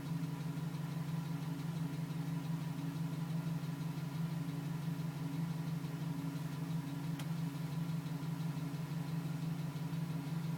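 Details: 2010 GMC Sierra with 2000 miles, cold idle, no load, at about 4 minutes: regular light tapping about three per second; stops at 5 minutes 42 seconds as it warms; owner suspects piston slap, unconfirmed.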